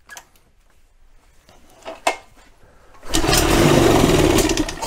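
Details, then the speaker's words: 1971 Evinrude 18hp two-stroke outboard that sat unused for 30+ years, restarted after the flywheel was refitted and spark was checked: a rough, fast buzz bursts into life after a few quiet pulls and keeps running, so the motor is probably viable. "there we go that's all it needed well that's what i wanted to hear that's success we've got at the fire that tells me that we probably have a good viable candidate and we can continue on here"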